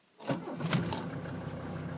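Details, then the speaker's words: CUCV diesel (M1008/M1009 type), cold start at 20°F using the manual glow plug button, idle raised with the hand throttle: short crank, fires almost at once into a steady, even clatter; normal cold start, good oil pressure. "Simple as that. It's running. And as you can see, I got the idle up."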